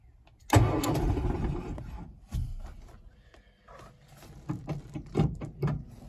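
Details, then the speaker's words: 1968 VW Beetle that started hard, now with a new 30 A starter relay/solenoid and push button: brief strong crank catches right away, a few uneven revs settle toward idle; starts promptly and runs fine. "Yep, you can hear it turn right on over. Runs just fine."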